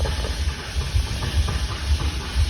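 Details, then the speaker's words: Fox body Ford Mustang test car with a customer's A3M ECU: uneven low chuffing pulses about two a second, cranking and half-catching; hard start from cylinders flooded with fuel dumped by the computer. "it's having trouble cuz whatever your computer dumped down the cylinders"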